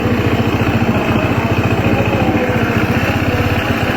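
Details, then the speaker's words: Honda PCX 160 scooter at idle: coarse, uneven rattling beat about twice a second under the engine note, a rough, noisy CVT; roller installation suspected as the cause, not confirmed. "Ada geruk di CVT kayaknya. Itu suaranya emang kasar banget lah."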